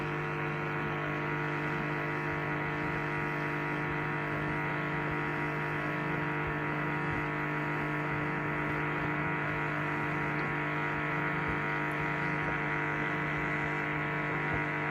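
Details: Two-month-old LG 11 kg Steam Direct Drive F1495KDS washer in wash cycle: steady low electrical buzz throughout, intensity varying; recirculation pump suspected, not confirmed.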